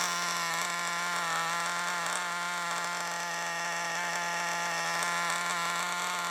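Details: Nitro RC engine in a used FTX Carnage, steady high-revving raspy, hollow buzz lacking the tuned-pipe tone; large leak at top of exhaust manifold, blocking the exhaust outlet changes nothing; exhaust to be removed and resealed.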